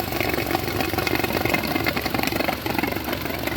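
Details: 2020 Hyundai new Santro, only 890 km, engine light on: uneven stumbling, clattering idle misfire; coolant mixed into engine oil and water in exhaust, overheating, head to be removed.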